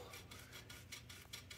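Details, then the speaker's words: 1983 Raleigh Prestige bicycle during overhaul, crank turned by hand: gritty rasping pulses about three times a second, feels really bad; bottom bracket grinding. "hear it that feels really bad"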